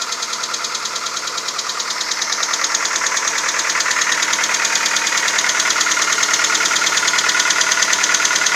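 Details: Cold-start engine knock on a VW Golf 4 1.4 AHW: sharp, very regular metallic tapping about three times a second over quiet idle; nearly inaudible once warm, leaving a faint clicking with shuffling. Runs smoothly, 5W40 Castrol Magnatec changed every 10,000.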